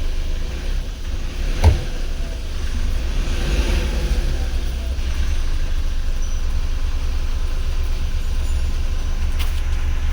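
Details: Mahindra Bolero Power Plus BS6 diesel, DEF no-start warning, running on a jumper battery. Just started, coolant below the 75° needed for DPF regeneration, soot mass 18 g. Low, even diesel rumble at a steady idle, no knocks or misses. A normal cold idle.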